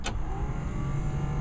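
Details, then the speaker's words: 1970 Plymouth Cuda, key on, heater blower motor tested during inspection: steady low fan hum with an even whir, no rattle or scrape; blower motor working normally. "There you go, you can hear that. That's the blower motor."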